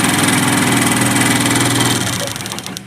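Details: TVS Star/Sport single-cylinder motorcycle with a missing and hard-starting problem: quick, even beat about three a second, no stumbles or missed firings.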